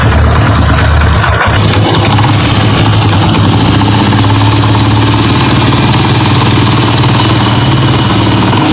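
Harsh rattly clatter riding over a steady single idle, not a clean deep knock; worn clutch bell with timing chain wear, not the rod.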